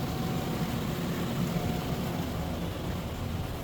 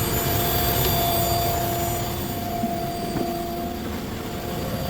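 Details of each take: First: Car after radiator fan replacement, after a test drive; smooth, even whoosh with low steady rumble, no rattle, scrape or wobble; previous noise gone; cooling fan running normally. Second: Car idling with AC/heater on and radiator fan spinning continuously; steady mid-pitched whir and hum under the idle, unchanging; no check engine light; the radiator fan itself is noisy and was replaced.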